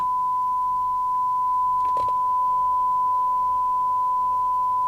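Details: 1981 Rotel RVC220 (Cybernet 134) UK FM CB radio after extensive repair, receiver alignment check with 100 µV from signal generator: pure tone near 1 kHz over faint hiss, no warble or breakup; alignment spot on, receiver working properly.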